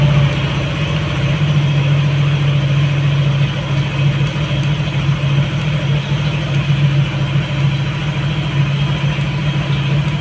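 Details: Yamaha NMAX all-new v.2 scooter after electrical system repair, parts replaced and sticky throttle cable fixed: steady, even low idle drone with no stumbles or dips; previous dying on acceleration cured.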